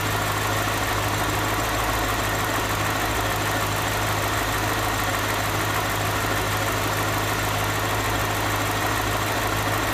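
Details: BMW Alpina H1 with N62B44 V8, 160,000 km, at idle: a steady idle with a rough, busy rattle over the low hum; cause unclear, owner seeking help.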